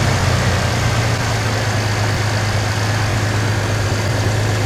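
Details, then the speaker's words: 1991 Chevy S10 Tahoe pickup after starter replacement and new distributor cap and rotor; smooth steady low idle with even hum, no stumble or rattle, running normally. "It is running now. It's been running for about 5 days. I drove it to work today for the first time. It runs great"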